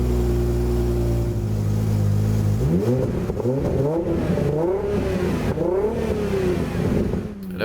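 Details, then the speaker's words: Aston Martin DB7 5.9 V12 with optional exhaust fitted: throttle blips sound lumpy and uneven, the V12 stumbling like a V10 as cylinders drop out; misfire under revving. "vous entendez bien le V12 qui commence à muer en V10."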